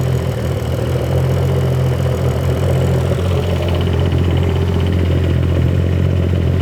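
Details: 2011 BMW 535i xDrive F10 with freshly rebuilt and reinstalled N55 six-cylinder, first run: smooth, steady low idle with an even beat and no knocks, ticks or misses; no oil leaks, running cleanly.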